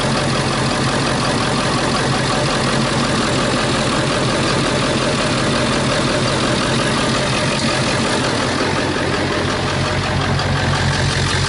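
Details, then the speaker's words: 2001 Ford E350 PowerStroke diesel, driven without air filter and on plain water coolant, overheated and block froze: loud, uneven idle clatter with irregular knocking and visible blow-by; rough idle, internal damage suspected. "You hear a diesel idling like that, there's definitely something wrong."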